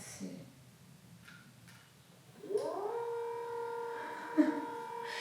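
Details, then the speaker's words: Leesa adjustable bed base made by Leggett and Platt, head and foot motors lowering simultaneously: steady mid-pitched drill-like whine starting abruptly at even pitch; reviewer unsure whether it should be this loud. "this sound. I'm pretty sure you can hear it, guys. It's like someone drilling. It sounds like a drill. I'm not sure if it's supposed to be this loud."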